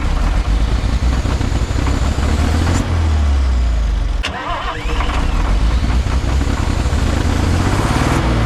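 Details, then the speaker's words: Long-parked cabover diesel truck, restarted with throttle; roars on at high steady speed, dips briefly, then keeps running hard, increasingly hard to shut off: diesel runaway. "Well, I guess to answer the question, does it run? Yes, it does. It also runs away."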